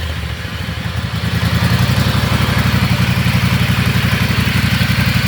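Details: Riding lawnmower after fitting hydraulic brakes and shifter to its transmission, no noise from the setup; small single-cylinder engine at steady, even beat with light clatter on top, no grinding or whine: normal running.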